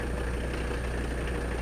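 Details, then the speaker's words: 1985 Mercedes 300D diesel, daily driven about 300 miles a week, idling with AC on: steady low even clatter and constant AC hum, smooth and healthy; normal diesel idle. "Yeah, it's running. I'm sure you can hear. AC's on."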